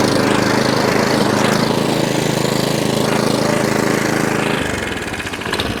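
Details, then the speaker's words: Atco Balmoral 17SK mower after fuel tap leak fix, cutting grass at full revs: even engine beat with smooth cutter whirr, no grinding or bumping; cylinder sharp, needs no backlapping, throwing grass into the box; healthy. "cylinder is nice and sharp doesn't need backlapping doesn't he do anything to it at all it's chucking grass out the box lovely"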